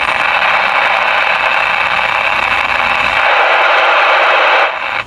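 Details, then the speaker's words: Icom 28H mobile base radio with a broken speaker: dense hissy crackle with spattering pops, then cutting off near the end; static likened to rain easing to scattered drops, distorted, choppy audio. "Kumbaga Lodi, yung kanyang raster ay kung kanina ay napakalakas na buhos ng ulan, ngayon naman ay yung pahinto o patila ng ulan. Patak-patak na lang yung kanyang raster."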